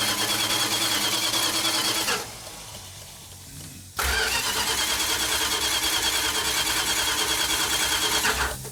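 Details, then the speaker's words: Restored high-school car on first start attempt: steady starter cranking at about three compression beats a second but the engine never fires; no fuel in the system yet, cranking to build fuel. "Mark. It's not firing. Well, there's no fuel in it. It's I was just going to crank it and let it build the fuel."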